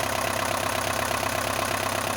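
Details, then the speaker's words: Isuzu NPR diesel, rebuilt with new valves, restarted after 11 years on bad fuel, now at operating temperature: even steady idle, cold tapping gone; sounds good warm. "But once it comes up to temperature, sounds good."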